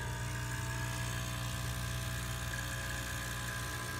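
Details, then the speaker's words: Bezzera Strega espresso machine, hot with full water tank, boiler being drained to zero in repair test: pump runs with steady low buzzing drone, constant pitch, no stutter or surging; normal pump operation. "we're gonna drain the border now it is a funky game that makes Italy the entire water in the boiler like the one down to zero pump is working"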